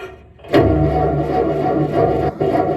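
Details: Old Ford 2N tractor with badly worn spark plug wires, carburetor also to be checked: engine catches and runs with uneven lumpy beat, stumbles and dropouts; rough running, unfit to drive, later died and would not restart; cause not confirmed.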